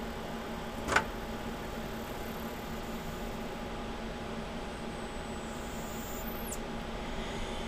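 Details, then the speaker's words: eMachines computer power supply run on the bench: faint steady mid-pitched whine under low hiss with one click; suspected bad capacitors, possibly on the standby rail, not yet confirmed. "did you hear that that's like we got some bad caps in that power supply listen to that"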